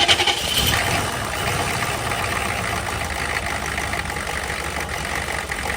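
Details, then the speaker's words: Diesel truck with a new cheap eBay turbo, leaking at the turbo: idle diesel clatter under a loud hissy chuff on the firing pulses; exhaust leak at idle, owner suspects something cracked behind the exhaust housing, wastegate feels wide open. "all right so clearly something's cracked behind the exhaust housing I'm not exactly sure but of course the only way to know is to pull the turbo out"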